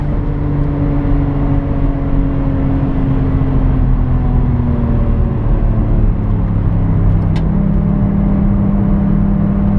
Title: R33 GTR - Misfire from blown head gasket